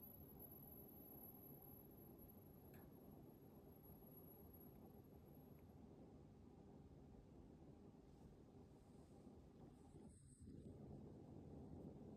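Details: Mitsubishi Diamond 9000 BTU air conditioner under one month old: thin very high-pitched whine, possibly above 10 kHz, over steady air rush, cutting out partway; owner suspects bearing, unconfirmed.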